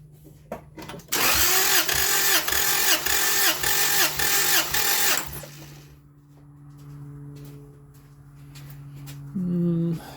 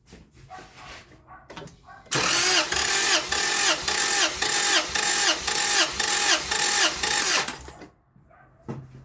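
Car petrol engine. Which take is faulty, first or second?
first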